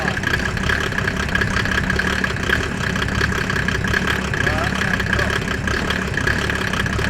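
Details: Mercedes OM606 diesel in a Land Rover build just after its first start, microphone near the exhaust: steady idle clatter with solid low exhaust rumble, no misses or knocks; sounds healthy.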